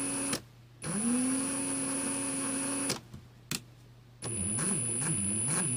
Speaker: You can even hear the gearbox is quite noisy. Like it's straining a little bit. Sometimes I can cut out 2 or 3 times, others just once, and but you can hear the strain at low trigger settings.